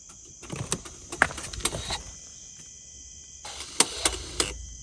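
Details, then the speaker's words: 2020 BMW X7 xDrive transfer case (VTG) after fluid change, scan-tool initial calibration: short whirring bursts and light clicks in two groups; actuator calibrates normally, stored value 0 degrees. "So you can hear a couple of noises. It'll be done in 14 seconds. Initial calibration VTG is carried out."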